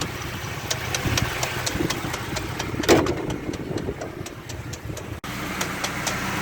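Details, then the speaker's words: GAZ 2790 van recently converted to LPG, 101 km, last 20 km on gas: started cold in the morning it runs fine, but after driving, at idle a light sharp metallic tapping about four times a second comes and goes; owner suspects a connecting rod. "Саш сейчас вот внутри помещения получше слышно то есть именно проезжаешь на машине заводишь с утра всё нормально проезжаешь на машине куда-либо неважно причём особо сколько на холостом встаёшь и начинает она стучать то постучит успокоится успокаивается и так далее"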